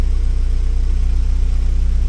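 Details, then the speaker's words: 2010 Hyundai Getz, previously no-start with no fault codes, after replacing the crank angle sensor: smooth, even idle at 880 rpm per the scan tool, steady pulse, no misses, knocks or ticks; crank sensor fault fixed, engine healthy. "So the RPM pretty much correct and it's showing 880. That means the crank angle sensor doing what's it has to be done."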